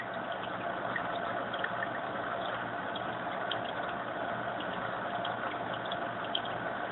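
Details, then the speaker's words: Fluval AquaClear 70 hang-on filter: steady, even splashing trickle of the water return, rising when flow is turned up; no knocks or hum; owner later found the return too noisy. "I've got the flow turned down the role because I'm real sensitive to the sound of the filters so you can hear it a little bit"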